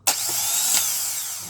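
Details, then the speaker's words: Car starter motor fed directly from battery positive without a relay: the pinion pushes forward, with a short bright whirr spinning up and winding down smoothly and no grinding. Normal starter free spin. "jadi dia muter dia maju muter untuk ketemu dengan namanya Free Will ya Gigi Band Dik itu akan ketemu flawil kemudian mesin akan berputar"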